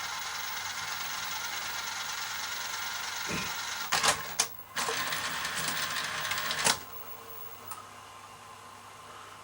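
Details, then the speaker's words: Sanyo Betamax video cassette recorder: sharp, dry relay clicks over a steady mechanical hiss as the deck engages play. "can hear a relay clicking there, clicking in that it's going in."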